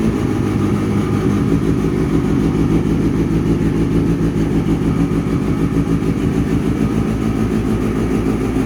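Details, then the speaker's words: Kawasaki ZX6R streetfighter, rebuilt with the engine out and stored about three years, idles evenly and steadily with no knocks, misses or rattles after a fuel pump problem was fixed and the carbs were primed; the exhaust sounds healthy. "so that's what she sounds like absolutely amazing"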